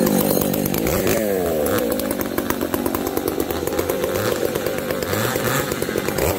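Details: Two chainsaws (366 and 70-series, alongside Ironhorse 371xp) cutting: bogging and surging, wandering revs, uneven popping and stutter; 366 lean, 70 lean/rich; owners suspect bad fuel, saws wouldn't tune; unconfirmed.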